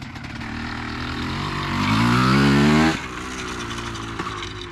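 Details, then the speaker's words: 2003 Honda CR250R two-stroke dirt bike riding after idle adjustment: revs climb then flatten and stall near the top, loaded up, won't rev out; owner suspects carb needs going through and re-jetting. "Doesn't really want to get into the um high RPMs. Probably needs the carb gone through re-jetted."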